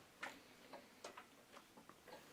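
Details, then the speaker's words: 5-cylinder engine that made a big noise after a 15-mile drive, rolled over by hand: sticky, slow uneven clunks; suspected driver-side balance shaft bearings. "Uh but there's a pretty significant kind of kind of a good chunk good chunk good chunk."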